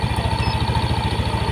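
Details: First-generation Yamaha NMAX with a rough starter, warm idle read on a JDiag M200 scanner at 1500–1600 rpm, rising and falling; quick, even putter with a steady beat and no misses or knocks; normal idle.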